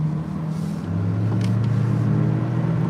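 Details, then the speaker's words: 2014 Chevy Cruze 1.4L turbo on a test drive after water pump, housings, intake manifold and valve cover replacement: steady engine drone that holds its pitch instead of dropping between gears, revs hanging. A failed sensor or vacuum/boost issue is suspected. "It don't sound right, does it? I'll tell you that right now. Watch. Watch how it hanging."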